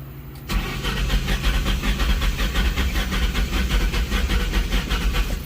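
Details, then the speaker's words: 2004 Mustang GT that sat about 1.5 months. The starter cranks steadily about four turns a second with no firing, even with carb cleaner sprayed into the intake; the new fuel pump is heard priming. Crank no start. "all right yeah nothing didn't even do anything when he was spraying directly in there"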